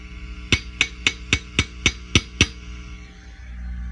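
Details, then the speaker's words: Fender Custom Shop '57 Twin amp, harsh and noisy when overdriven: eight sharp tube taps ring through the speaker over a low hum; two microphonic preamp tubes are found bad. "um it's a microphonic tube or I should say tubes these two are bad and"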